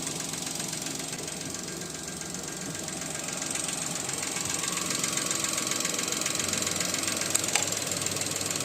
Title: New Allto ( engine knocking sound ) 👨‍🔧